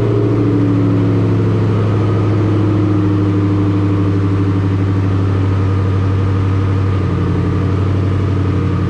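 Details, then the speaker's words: Ford Mustang GT V8 with cold air intake, Kooks long tube headers, high-flow cats and Roush muffler deletes, before cam/intake/throttle body install, idling: deep, even, loud rumble with steady firing and slight rev rises. "the kooks long tube headers high flow cats and roush muffler deletes so we'll see what she sounds like right now and pull her out get her in and show you a few things on the install"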